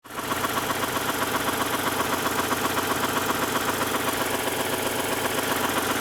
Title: Rd 8 knocking noise